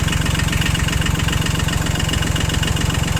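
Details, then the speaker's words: Yanmar YM2500 rear-wheel-drive Japanese mini tractor, three-cylinder diesel, 1004 engine hours, idling: steady, even diesel chug with a regular low beat, no knocks or misses; engine healthy, responds well to throttle; normal idle. "Отсюда, собственно, и работа трактора, работа двигателя очень ровненькая, очень хорошая. Опять же видим, что двигатель работает ровно, на педаль газа отзывается очень хорошо, сразу же четко набирает обороты."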